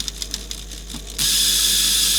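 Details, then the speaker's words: Rusty 1980s Clarion car cassette player under repair: light ticks, then loud steady high rasping whirr as reels spin; reel drive turning but very noisy. "Well, that reel's going. Jeez, it's noisy, but it's going."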